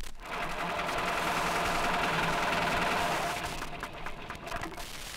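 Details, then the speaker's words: Car engine with a rapid, regular heavy knock from a defective big-end bearing, loudest running light in top gear; must be fixed immediately before it wrecks the engine. "loudest when the car is running light in top gear this must be fixed immediately before it can wreck the engine"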